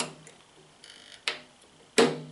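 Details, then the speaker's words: Kodak Showtime 8 film projector switching forward/reverse: quiet whirring, then two sharp clunks about 0.7 s apart as the drive couples; engagement knock, owner thinks more frequent use may reduce it. "Ahí ya entró. Ese golpe que se escuchó ahorita al fondo es que ya se acopló."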